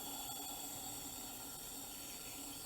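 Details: Small volume nebulizer in T-piece setup, flow meter at 6 litres per minute: steady even high-pitched hiss of gas flow with no sputter or gurgle; normal running.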